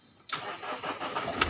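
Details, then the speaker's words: 2012 Mahindra XUV500 after rat-chewed wiring repair and ECM unlock for crank-no-start, in neutral: short crank catches at once and settles into even idle with no stumble; normal start. "गाड़ी start हो आ इजन तरफ दिखा देते हैं D स्ट हो चका है"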